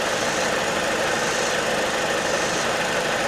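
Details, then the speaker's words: 2004 Saturn Vue 2.2 L Ecotec four-cylinder with manual transmission, parked since 2018, running warm with a loud cooling fan that then cycles off: smooth, even idle hum with no knocks or misses, no smoke. "I know the cooling fan is loud as hell, but I mean, seriously, no kidding, it's running perfect. It's running absolutely perfect."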